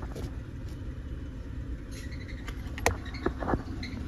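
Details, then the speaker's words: 2018 Suzuki Celerio, 81,000 km, idling: faint high chirps and a whirring hum when the clutch is lightly pressed; water entering through weld holes washed the lubrication out of the worn clutch release bearing; fixed by clutch overhaul. "Clutch release bearing lubricating இல்லாம போயிடும் இந்த வண்டியிலயே வந்து பாத்தீங்கன்னா அந்த complaint தான் கிளட்ச்சை வந்து பாத்தீங்கன்னா நீங்க லைட் அப்ளை பண்ணும்போது அந்த நாய்ஸ்"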